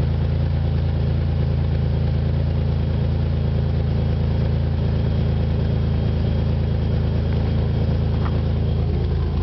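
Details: 1997 supercharged Nissan Maxima: a steady low engine drone with a rough, puffing rasp at about three pulses a second, from an exhaust leak that developed after the catalytic converter.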